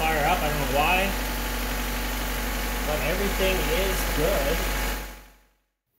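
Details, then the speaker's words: Honda Civic/CRX engine just after a BTO coil-on-plug conversion replacing the distributor, took a little to start: steady even idle for several seconds, constant hum, no misses or knocks; normal idle. "um let's fire it up one more time just to see if it works all right all right it is fired up I guess it took a little bit to"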